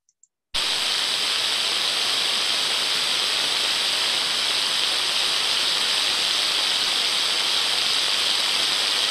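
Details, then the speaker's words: Ultrasound on the drive-end bearing of one of two like-for-like motors at 30 kHz, reading 29 dB (the baseline): smooth, uniform hiss with no crackle. The bearing is healthy but sounded slightly dry and could be improved by lubricant. "smooth and uniform now in my opinion with my experience the bearing sounded a little bit dry and I think this sound could have been improved by applying some lubricant at the time but we can still see a smooth uniform pattern of sound"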